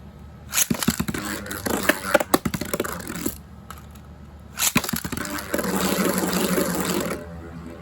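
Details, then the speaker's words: Beyblade Metal Fight top being balance tuned after flipping the spin track and tip: gritty, scraping rattles as it spins and stalls in the stadium, so it is running rough. Rough spinning sound. "Getting a bit rough. Let's try going back again."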